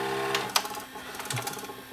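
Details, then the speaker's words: Panasonic PV-4361 VHS VCR, picture shakes side to side: rapid light irregular clicking in reverse search; capstan motor drive fault suspected, seems to be missing a phase. "I have a feeling it's to do with the drive I see over here it's like we're missing a phase"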